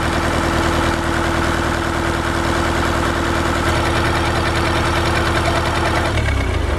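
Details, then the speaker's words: Ford 1920 diesel tractor (Shibaura-built, also sold as New Holland) idling with muffler removed; loud harsh rapid chuffing that softens near end when a muffler is held on; exhaust lacking muffler. "We're going to listen to it with the no muffler on there."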